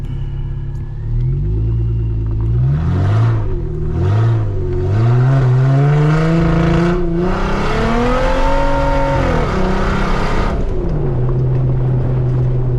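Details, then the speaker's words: Supercharged Jeep Wrangler driving after the muffler was cut off because a rock-crawling dent made the exhaust rattle against the frame: deep, loud, unmuffled rumble that booms with each rev and falls back to a growl. "But it sounds way different than my other one. Sounds really good. Deep, loud."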